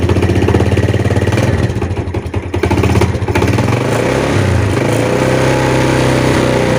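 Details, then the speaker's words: Yamaha Jupiter Z (Vega R) motorcycle, right-side rapid rhythmic knocking at idle, like a con-rod knock, louder at slow idle and reduced but still present when revved; engine also smokes; cause suspected, not confirmed. "saat Gas pelan ya stasioner itu bunyinya lebih kencang ya lebih apa kedengarannya Tapi saat digas dia enggak bunyinya berkurang ya"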